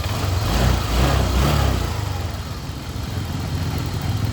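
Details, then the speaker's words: Honda Click scooter, warmed up, after resetting and reshaping the weak cam chain tensioner; low even idle, no ticking or chain rattle, tensioner now quiet, normal idle. "Ito na pala yung nireset natin na tensioner. Yan, tahimik na. Mainit na to. Pinainit namin. Yan, tahimik"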